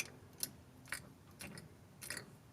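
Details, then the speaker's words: Pickup truck (Z71, no G80 locker) differential that failed while cruising on the highway, axle turned slowly by hand in very dirty fluid: four sharp, uneven clicks as at least three broken gear teeth catch. "There's at least 3 I see broken. I'm a big fan of that noise."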